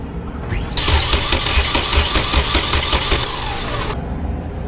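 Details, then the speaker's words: Nissan B14 200SX after bigger turbo swap, open downpipe, no intercooler piping or air filter, ignition cut to prime oil: even starter churn about 2.5 pulses per second for three seconds, no firing; normal cranking. "Alright, so we have power. The car shouldn't start right now because beautiful, it is cranking. Just wanna make sure I get oil over."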